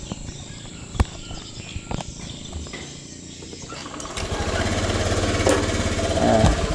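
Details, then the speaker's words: Honda Beat scooter that still misfired after rotak replacement, restarted on an external fuel pressure tool limited to 50 psi; after a few clicks the single starts, revs climb, then hold an even beat, no misfire; normal cold start idle. "naik terus turun stabil gas Coba kita naikkan gasnya ya tapi anakku sedang tidur Oke normal nggak ada brebet atau apa"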